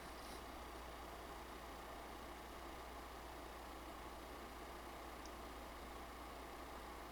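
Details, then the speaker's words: PlayStation 5 Pro Foxconn fan during gameplay in Fidelity mode, 48–49 dB; even steady airy hum, no surging, rattles or ticks; louder than a PS5 Slim but normal under load. "so like I said the PS5 Pro is not exactly the quiet this console it does make more noise than my prior PS5 slim with the same foxcon fan"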